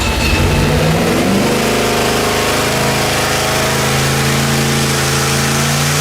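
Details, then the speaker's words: Junkyard LS with twin two-stage BorgWarner turbos on an engine dyno, pump gas: loud, hard pull with a steady uneven stumbling miss under boost, from a plug and coil fault (two dead cylinders); fixed by straightening them out and trimming fuel. "st and you could hear this steady miss now that the boost pressure was up and that's when we investigated the plugs and found the other coil and straightened everything out"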